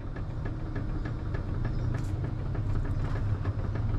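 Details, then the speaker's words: BMW E90/E92 steering rack after backing the thrust piece (yoke) cap off slightly, engine idling, wheel rocked: only faint light ticks remain, unchanged when tie rod pushed up; piece was out of adjustment, not worn. "it sounds a hell of a lot better in fact i'll go underneath and i'll get my lovely assistant my mother to give the steering wheel a wiggle again alright give it a wiggle again so it still makes a bit of noise"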